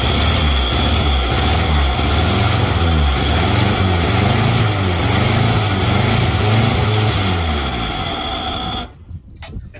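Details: Fire-damaged Morris Traveller four-cylinder, first run in 44 years, hot-wired with new points, condenser, distributor cap and leads, fuel in the float bowl, vacuum advance unconnected: steady, slightly lumpy beat for about nine seconds, then shut off. Runs healthily.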